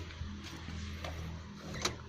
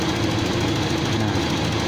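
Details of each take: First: Toyota Kijang Kapsul checked during a used-car inspection: short crank, catches at once and settles into an even, steady idle; a slight noise is attributed to valve clearance adjustment. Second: Toyota Kijang Kapsul petrol engine idling, light rapid ticking over the steady run, judged to be only valve clearance adjustment (loose valves) during a used-car inspection.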